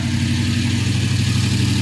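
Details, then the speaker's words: 1932 Ford 5-window coupe, after a new MSD Blaster 2 coil cured its runs-then-dies fault: starts instantly on the Brawler carburetor with the choke working, then an even, steady V8 idle with a regular throbbing pulse, no misses or stumbles; normal idle. "It actually starts like fuel injection now. That's what I like about the Brawler carburetor."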